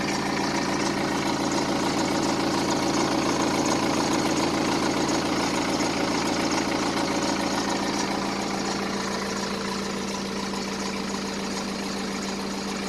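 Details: 2010 BMW 118d E87 with N47 diesel, 178,000 km, at idle: steady diesel hum with a fairly even rattle of about three or four beats per second; timing chains were torn down and found fine, so the source remains unidentified.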